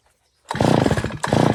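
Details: Stihl FS 250 R brush cutter after primer bulb replacement (dealer bulb modified to fit), restarted: silence then rough buzzy two-stroke roar that keeps running; clean start, no misfire.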